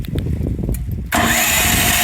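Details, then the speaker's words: Predator 13,000 W tri-fuel generator, first start on propane from a half-full 20 lb tank: about a second of labored cranking, then catches and settles to a steady run; suspected air in the line and regulator. "A double start from this. Now you may have air in the line, so you'll have to start it probably twice. Propane's got to get in there into the regulator and everything, so this is the first time it's starting up."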